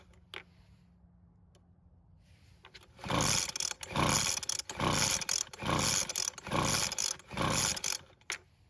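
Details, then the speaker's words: Weed Eater two-stroke leaf blower that won't start, pulled on choke: about seven rough recoil pulls a bit over a second apart, each a raspy whirr with no firing; owner guesses it is flooded. "Well, it didn't even try and start, so I'm guessing it might be flooded, so we'll try it again, but this time without the choke."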